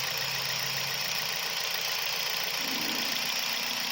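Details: 2012 Toyota Vios petrol engine idling after spark plug replacement, during a coil and plug check for RPM fluctuation and jerking at low revs; low hum holds fairly steady under heavy hiss with no stumbling or dips.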